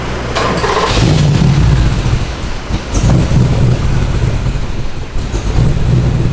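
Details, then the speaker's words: LS1 V8 with a big cam and built heads on the dyno, after replacing the wrong spark plugs: deep, steady rumble under load pulling evenly without stumbles or misfire pops. Much smoother than before, made 365. "Sounded better, right? That sounded way better from the start."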